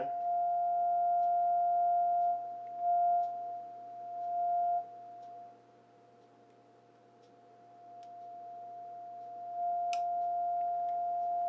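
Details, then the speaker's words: Crosley 635 Buccaneer radio during alignment, local station not received: pure steady alignment tone shifting level as tuned; police band oscillator trimmer out of adjustment, reaching only about 4.7 instead of 5. "Unfortunately, I'm completely out of adjustment. I got it all the way up to [bell] about 4.7. It's not quite on five, but that's the best that's going to get."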